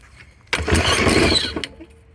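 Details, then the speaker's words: Troy-Bilt TB200 self-propelled push mower that didn't start this season, old-smelling gas, no primer: one pull gives about a second of rough, rattly sputter that fades out without catching; carb cleaner tried next. "that doesn't sound good looks fine all right let's try some carb cleaner"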